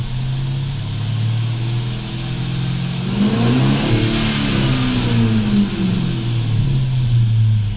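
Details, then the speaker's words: Chrysler 300C 5.7 with a newly installed JS 240-amp alternator and tight belt, voltage a little low. A faint whine rises and falls with revs; owner suspects belt slippage, cause unconfirmed. "so why is this thing whining I mean is it that it's not normal I can't be normal"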